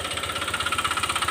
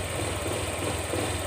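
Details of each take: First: Honda Click 125 (likely newest keyless model), 160,000 km, panels removed, idling with light throttle blips: sharp evenly spaced metallic knock at about twelve a second tracking engine speed, worn connecting rod knocking. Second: Honda Click 125 scooter at 160,000 km, after the crankshaft and connecting rod assembly were replaced to cure a rod knock: steady, even idle with a soft low hum and no knocking or tapping; normal idle.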